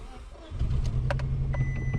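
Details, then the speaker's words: Misfiring Subaru project car in neutral, coils 3 and 4 already swapped without the misfire moving, pulling number four changes nothing: lumpy stumbling idle, flat crappy exhaust note; misfire from one cylinder with low compression. "so you can hear exhaust is kind of crappy but yeah see it's running really rough"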